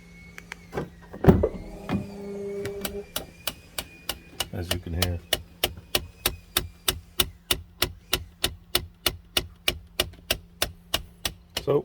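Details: 2015 Lincoln Navigator with the blend door issue: fast steady clicking from inside the dash over a low blower hum, a failing front/rear AC blend door actuator, replaced with Motorcraft YH-1743 and YH-1881.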